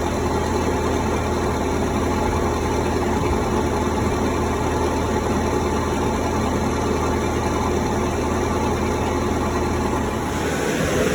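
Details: Cummins 3.3 QSB diesel from a stump grinder, run after rebuild with pistons, rings, rod and main bearings and head gasket (had oil from the blow-by tube), Insight connected: smooth, even idle, steady low rumble, no knock or tapping. Normal idle.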